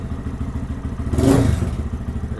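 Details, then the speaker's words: Lifan KPM 200 single-cylinder motorcycle after the TPS was moved back from 1.6%, a setting that caused low idle, hesitation and stalling. Steady thump at idle, then a quick clean blip that settles promptly. Throttle response is crisp, with no stalling. "quick crisp throttle and it doesn't want to die if I hit the throttle hard"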